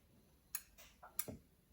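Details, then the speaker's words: Clicking heard as the 4M40 2.8 diesel in a 1997 Gen 2 Mitsubishi Pajero is turned over slowly by hand during reassembly, intake and exhaust manifolds back on; a few sharp uneven clicks that then stop, cause unknown, engine hard to turn under compression. "there we go you heard it clicking don't hear it now"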